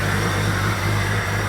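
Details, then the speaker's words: New 4.6 stroker engine in 1999 Jeep XJ, just started after redropping distributor at top dead center (was too advanced, wouldn't idle), before warm-up; steady even low drone, no misses, knocks or ticks; normal idle. "all right it's purring like a kitten a very tame Beast so nice and straight no issues"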